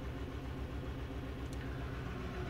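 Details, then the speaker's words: 2012 VW Jetta GL 2.0L with P0300/P0301, cylinder 1 misfiring constantly; uneven lumpy thump at idle; rough running, low power, raw fuel smell, flashing check engine light. "I'm actually accelerating the the accelerator the higher the RPMs the louder the misfire"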